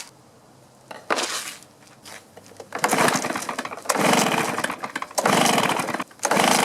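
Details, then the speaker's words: Stihl BR450 2-stroke blower that runs then chokes out, new carburetor supplied: catches in short rough sputtering bursts and cuts out; suspected fuel tank vent and coil air gap issues. "and it would run but then it would die so they went head and bought a new carburetor and asked me to put the carburetor on it but I'm not sure that's what's wrong with it"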